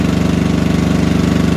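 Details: Engine running after starter motor rebuild: steady, even pulsing beat with a firm low-pitched drone, no stumbles or knocks; smooth, healthy normal running.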